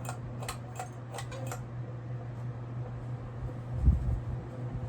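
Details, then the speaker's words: General Electric top-mount antique ceiling fan switched from medium (2.06 A, 115 W) to high: steady low motor hum with a brief run of light ticks, about four a second, that fade; owner suspects the canopy scraping the electrical box. "Also, it could be the canopy scraping on the electrical box, that noise."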